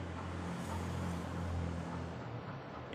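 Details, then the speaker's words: Tenjima ARC120 welding machine, previously totally dead, after reconnecting the one broken cable: machine powers on, cooling fan gives a steady low even hum with no rubbing or rattle; fan runs normally, repair successful. "OK, we will test it first, we will plug in the electricity, we will turn it on. OK, the machine is on. The fan is running,"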